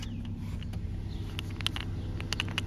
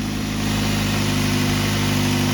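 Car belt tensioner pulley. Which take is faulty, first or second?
first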